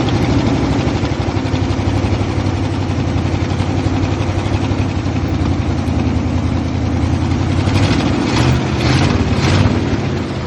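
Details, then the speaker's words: 1968 International Loadstar V8 just revived with new inline fuel pump, choke on: steady even low rumble at raised idle, no misses; runs fine but idles high from choke, idle needs adjusting. "Running fine. Idle sounds a little high, but"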